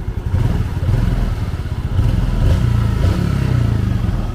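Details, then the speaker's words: Yamaha Jupiter FI 2020 engine rebuilt after running out of oil and seizing: low steady thump at idle with an even beat, no clatter or tapping; engine runs smoothly and quietly again. "Quá trình mình chỉ ra tin nhỏ xuống thì nó tương đối lại em bây giờ các bạn sát lại thì nghe tiếng máy như các bạn nhắc đó máy lại Trở về như cũ là chỉ thầm các bạn ạ"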